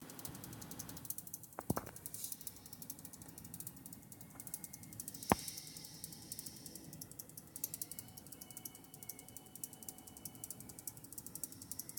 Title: PSU rattle sound, but it's not the fan